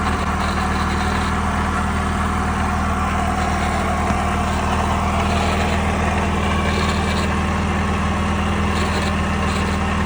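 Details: 1969 Saab Sonett V4 with a swapped-in 1.7L Ford V4 and Holley 1940 carburetor, idling: steady hum with a faint intermittent rattle that comes and goes; owner wonders whether it is the throw-out bearing or the disconnected freewheeling mechanism; unconfirmed.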